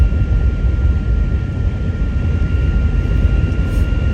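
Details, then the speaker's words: Steady thin wind whistle at one pitch over road rumble above 60 mph, heard overhead from outside the vehicle, caused by air escaping around the roof light bar bracket; fuzzy Velcro on the bracket quieted it only partly. "it sounds almost like audio interference or like noise and wires it's not coming from the speakers it's coming from outside the vehicle and i can hear it like over my head here isn't that crazy that happens over 60 with this the light bar"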